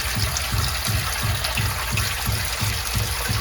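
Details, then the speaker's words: Sump pump system in a crawl space: rhythmic low booms, about three a second, with rushing water for 20 seconds or more after the pump shuts off, from a faulty check valve. "the sample stopped 20 seconds ago and still bump it just stopped so he's gonna do it again I'm gonna show you so the pump just turned on [Music] then it's off and then the banking"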